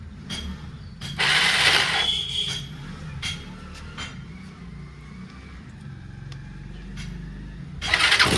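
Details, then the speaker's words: Bajaj Pulsar on a new battery using the self-starter. Starter whirs in uneven bursts, sometimes catching and firing the engine, mostly spinning free. Slipping one-way starter clutch; owner plans a new one-way bearing set. "टई एक बार तो basically बात ऐसी है कि जब भी starter engage हो रहा है तब तो अपनी बाइक स्टार्ट होही जा रही है पर most of the time starter engage हो ही नहीं रहा"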